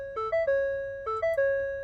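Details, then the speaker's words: 2021 Ford F-150 3.5L V6 PowerBoost with Stop Safely Now and no-start faults, after both 12V batteries were disconnected for about 5 minutes: a bright two-tone chime repeats about once a second in a quiet cab with the ignition off; repeated warning chimes, cause unknown. "meant to also mention when I turn off the ignition but hang on I'll give you the full effect of IPC warnings"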